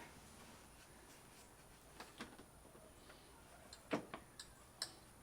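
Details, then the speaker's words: 2008 Ford F-450 with a 5.9L Cummins swap and the larger Cummins fan in a fabricated shroud, turned slowly by hand: sharp, irregular light ticks as only some blades catch. A blade is touching a piece of the shroud, to be trimmed out. "It sounds like it's touching the piece that yeah, goes. it is."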